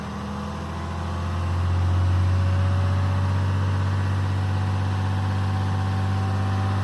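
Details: 2012 RAM diesel, VGT turbo (HE351) rebuilt, at about 2000 rpm with the exhaust brake on: steady drone deepens and loads up as the brake closes, smooth and even; working normally.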